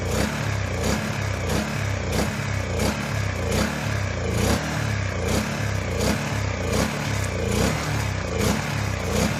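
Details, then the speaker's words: Honda EU1000i generator bought used, run after Seafoam with little or no improvement: uneven, lumpy running with surges about every second that never settle. The engine keeps hunting, carburetor cleaning planned. "I gave up on running it like that well if I gave up on it so much as I just couldn't stand to hear it run like that"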